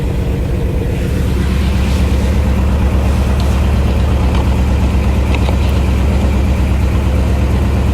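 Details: 1964 Chevy Impala V8 after fixing crank-no-start by replacing broken part: steady low rumble with even unhurried beat, no ticking or knocking; normal idle.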